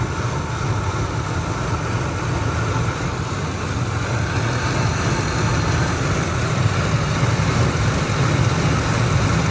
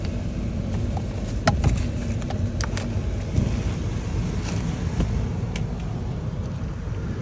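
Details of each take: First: 2003 Ford Expedition V8 at 295,000 miles, started cold and idling about 4 minutes as temperature rises: deep, uneven lope and visible engine shaking, rough idle suggesting misfire; the chirp that appears at operating temperature is not yet heard. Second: 2003 Ford Expedition, 295,000 miles, engine cold at idle, chirp appears only at operating temperature: low, even idle under wind noise, no chirp and no miss, engine running smooth and quiet.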